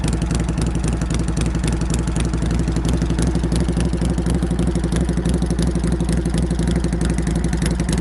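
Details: Normal idle of a Harley-Davidson Shovelhead road bike with an SU carburetor, just reassembled with new exhaust pipe extensions: a loping, raspy V-twin idle with deep, uneven open-pipe pulses and no knocks or rattles; healthy engine.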